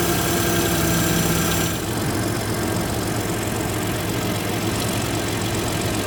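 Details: First-gen EcoBoost F150 after replacing the failed turbo coolant line fittings and refilling the coolant, first start to check for leaks: the engine runs with a steady, even drone that eases off slightly partway through, with no knocks or rattles, normal running.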